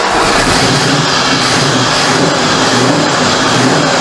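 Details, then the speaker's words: 1973 Ford Mach 1 Mustang V8, running again after the exhaust leak was fixed and nearly out of gas: a steady, even rumble with no puffing, ticking or hissing. The exhaust is sealed and quiet, with no leak. "sounds good though no more exhaust leak that's one thing I don't know if you guys can hear it but it's exhaust system is quiet"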